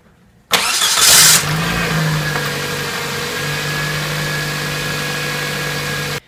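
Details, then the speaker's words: 2006 Toyota Matrix 1ZZ-FE after starter replacement and battery reconnection: brief crank, prompt firing, flare up, then steady even idle hum; new starter and starting are normal. "I'm just going to go ahead and start it make sure it's make sure she starts"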